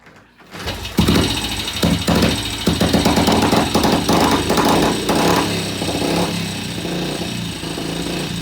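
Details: Vintage BSA C15 single-cylinder motorcycle first start after repair, restarted after fresh transmission oil, slightly cooled, distributor cap refitted: catches and settles into a steady, even beat with no knocks or misses.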